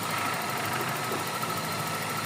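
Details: Toyota Corolla GLI 4A-FE engine with severe idle noise, wiring and under-chassis issues: steady low idle with fine rapid ticking and rattle riding over it, no speed change; cause not confirmed.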